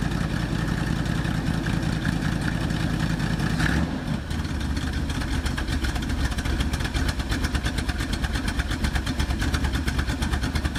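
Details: 1976 Ford Ranchero 500 V8 with HEI ignition, started after U-joint replacement. It rumbles unevenly, stumbles around four seconds, then lopes at idle. The owner then swaps out a part, calling it junk. Rough running after start.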